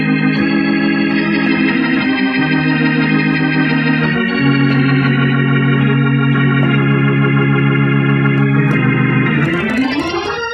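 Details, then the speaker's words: Leslie speaker cabinet with a rebuildable 147 amplifier playing organ chords. The rotor gives a slow, lazy swirl that stays on low and won't switch speeds, so the amplifier's speed relay is suspected. Otherwise the amplifier sounds good and strong and tests functional voltage-wise. "I have the rebuildable 147 amplifier in the cabinet now and I notice that it's running on Comeau low and it will not switch speeds which suggests to me that you will need to replace the relay in that amplifier"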